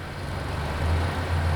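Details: Diesel engine that sat for years, started after an oil change, a prefilled bypass filter and bleeding air from the fuel system: low, even rumble settling into a steady idle with no misses, knocks or hunting.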